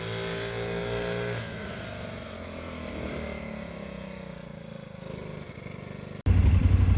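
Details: Vintage Honda Z50 mini bike, restored after years sitting in a field and barn, ridden in gear: small single putting along with an even quick beat and clean throttle changes, no knocks or misses; healthy.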